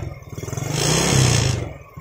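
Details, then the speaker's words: Yamaha Jupiter Z carbureted single: picks up unevenly and sags with ragged pulses, as a leaking auto fuel tap sends petrol through the vacuum hose into the manifold, bypassing the carb; black plug, high fuel use. Carb cleaning didn't help. "Bensinnya itu masuk ke selang vakum ini ini yang menyebabkan motor Jupiter set ini bbet yabet terus busi hitam boros banget bensinnya"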